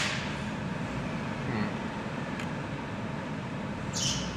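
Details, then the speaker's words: 2016 Hyundai Accent, engine warm on a 90° day, with AC on full, high beams and windows running while accelerating: a brief, faint high belt chirp; loose accessory belt suspected, worse when cold. "There it is. A little chirp. You can kind of hear it. Uh, the vehicle is a little warmer right now and it is like 90° out."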